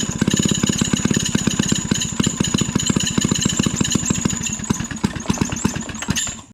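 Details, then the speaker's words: Maytag 92 hit-and-miss engine, an estate-sale garage find, gives quick even chuffs with a thin high squeal whose source is not identified. The squeak later stops. "see the you heard the squeaking stopped yeah there you go"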